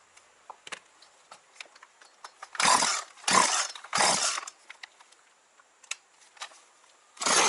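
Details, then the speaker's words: Partner 351 two-stroke chainsaw, previously stalling off choke, after carburettor disassembly and adjustment with idle raised: fires and revs in short throttle blips, picking up cleanly without bogging; engine running normally. "Так, ну, з мотором вроді все працює."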